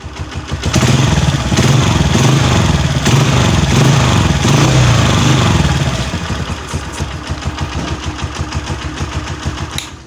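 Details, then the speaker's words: Honda CG 125 Euro 2 after replacing a small pipe that caused a very loud noise: a brief rev, then an even single-cylinder thumping idle with a clean exhaust note and no rattle. Normal idle, noise gone. "इतनी बुरी जो आवाज आ रही थी सिर्फ एक छोटा सा पाइप लगाने से ही इसलिए आवाज बिल्कुल खत्म हो चुकी है"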